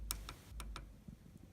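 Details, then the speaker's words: Line 6 Pod HD500X footswitch, the good, less-used switch that will be swapped in for a worn one: several crisp, firm, solid clicks, sharp and clean with nothing between presses; normal footswitch click. "can hear it makes a solid click."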